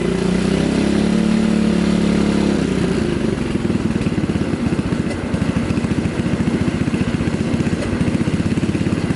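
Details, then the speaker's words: 2003 Kawasaki KLX110 single-cylinder after rebuild; drops from a higher rev to a steady even idle of quick regular pulses, running much better, idle about to be turned down; normal idle. "Okay, so she's running much fucking better. We'll go ahead and turn this idle down a little bit."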